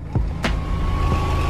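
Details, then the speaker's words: Range hood fan in a 1992 Autostar 491 camper on C25 chassis, tested after winter storage: steady low hum with thin constant whine after switch clicks; fan and lamp work, running smoothly and normally. "Ça fonctionne, super. Voilà, la lampe aussi."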